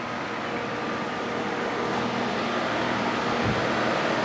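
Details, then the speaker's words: Brand-new 2015 Rheem 3.5-ton AC condenser heard from the deck above: a soft, steady hum with a faint fan rush and no rattles or squeals. Quiet, normal running. "looking down definitely quiet it's huge I I never expected it would actually be this this big and tall but I guess they they designed it this way"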